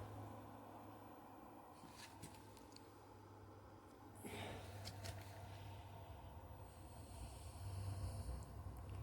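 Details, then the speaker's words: 5 kW diesel heater on a mobile workshop cart, cold start in freezing workshop (-3 overnight), glow plugs on, fan running, some smoke: low hum with dosing pump clicking, then roar swells as combustion catches; normal start-up. "Oh, it just sounds like she's coming to life. That's the pump clicking away."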